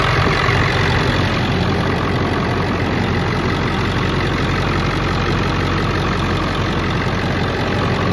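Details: Diesel idling during a walk-around after installing CNC Fab high-pressure oil crossover lines. Startup and idle sound about the same: a steady diesel idle with the usual light clatter and even rhythm. The knocking noise is slightly less loud; the engine sounds normal.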